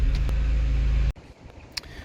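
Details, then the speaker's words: Mercedes SLK230 Kompressor that had a misfire, after replacing the ignition cables: smooth even low engine drone, no stumble or miss, then switched off; normal running. "empezamos sin problemas veis la revolución estará en constantes nos vienen ruidos raros"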